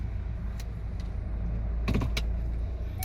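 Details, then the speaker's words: Chevrolet Malibu (Mando 4-piston calipers) stopping forward and in reverse, after repair for judder when braking and a reverse brake squeak; low rolling rumble with a few light clicks, no squeal; brakes quiet. "빨 아 보조 으 소리가 안납니다 으 안 나죠 호진 할 때도 소미 소음 없습니다"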